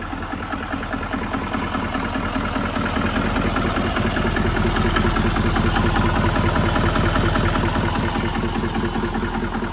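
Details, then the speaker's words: Wrecked L5P Duramax diesel with a bent frame, first start after jump: rough idle with a steady knock about 2.5 times a second over the rumble; possible bottom-end knock. Owner wonders if no boost makes it labor; cause unknown. "It don't sound right. Now, is there any chance it's because it's not making boost, the motor's laboring harder?"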